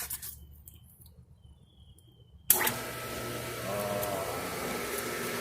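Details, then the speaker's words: New pool pump motor with an added coupler and its 230/115 V switch set correctly, on its first start. It comes up to a quiet, even, smooth hum with no knocking or grinding: normal running. "It's so quiet, actually."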